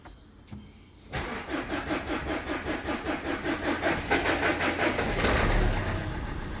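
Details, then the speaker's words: 2011 Renault Scenic 1.5 dCi diesel: cranks about four seconds, starts late and runs unevenly from a cylinder 1 misfire; code cylinder 1 control circuit open; owner suspects the injector. "So the starting is very uh poor. It's starting very late is misfiring."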